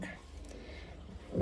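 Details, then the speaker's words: Samsung stainless digital front-load washer-dryer with a loose drum: faint low hum, then one heavy hollow clunk from inside. The drum knocking got worse the day before; cause suspected, not confirmed. "Aí aqui é o seguinte, ela tá fazendo, ela tava fazendo um barulhão, né?"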